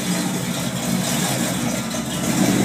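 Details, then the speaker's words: 1979 Ford with 460 V8 after exhaust leak repair with a sleeve patching the cut pipe, not quite warmed up: deep, even V8 rumble with no ticking or puffing; possible tiny leak at back, condensation water from exhaust; normal idle. "well she's not quite warmed up but that sounds pretty cool"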